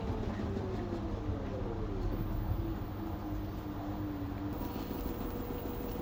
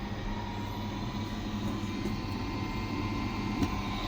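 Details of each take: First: LG 9 kg wash / 5 kg dry washer-dryer combo that washes but won't dry, during spin: falling then steady motor tone over a heavy low rumble; the machine shakes vigorously from an unbalanced load. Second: LG 9 kg wash / 5 kg dry washer-dryer combo that washes but won't dry, in dry mode after 20 minutes of spinning: steady, even whir with a low hum, no rubbing or rattle; drying fan running normally, sensors still suspected.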